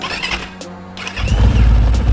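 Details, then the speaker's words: Enduro motorcycle with a 177FMM single and PWK34 carb, after carb tuning and valve work to cure hard starting. A quiet first half, then it catches on the first touch and settles into a strong, steady low thump. Healthy easy start. "що за пушка з першого разу тафак прям так тільки доторкнувся і він залівся"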